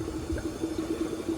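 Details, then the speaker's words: Raced 409ci small-block Chevy, together one year, with a cylinder or two seeming low on cranking compression: steady gurgling and uneven bubbling bursts of air pushing through the caps; a leaking or lifted head gasket. "that is going through the Caps so we got a neat head gasket for sure or lifted"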